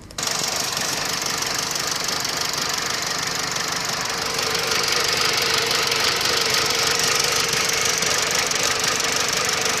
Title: Corsa C rough idle